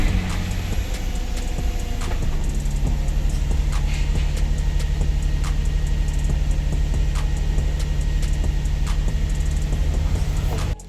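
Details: Infiniti G35 sedan VQ engine idling after replacing the bank 1 camshaft position sensor, which had caused long cranking, no-start and rough idle: deep, steady, even idle with no misses. Engine running clean.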